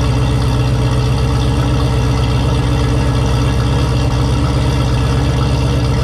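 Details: Turbo Camaro ("Cowmaro", 1200hp) V8 first fire in a while, fresh oil, warmed to operating temperature with coolant about 190°F; deep, even, steady idle with no knocks or ticks. Normal idle.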